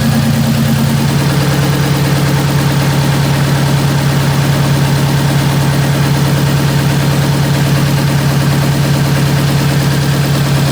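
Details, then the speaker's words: 2009 Subaru WRX converted from EJ255 to JDM EJ205, idling with the intake AVCS solenoids unplugged: loud, lumpy, uneven beat about twice a second; misfire despite new plugs, swapped coil packs, new injectors and good compression. "swear it looks like it's misfiring but like I said changed all spark plugs I've swap cool packs around I've changed injectors I've changed everything got a good compression like there's really nothing wrong with it"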